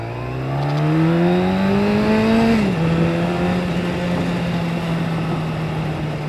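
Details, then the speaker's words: Yamaha YZF1000R on Lake District roads with the exhaust baffle removed. Engine note climbs hard, shifts near three seconds, then cruises steady. The exhaust is loud and open, and the rider is unsure whether to put the baffle back in. "I'm not sure whether I should have that baffle back in or not. It is quite noisy now. I feel like I'm waking the lakes, basically."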